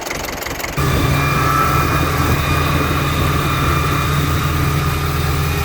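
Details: Ford 6610 Force II tractor diesel after fuelling problems were sorted: steady smooth low idle, no missing or hunting; idle miss seems gone; normal idle.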